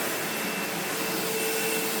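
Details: Sebo X4 Pets Eco upright vacuum after full service and refurbishment: steady, even motor whoosh at constant pitch, with no rattling, surging or brush-roll grinding; it is running properly.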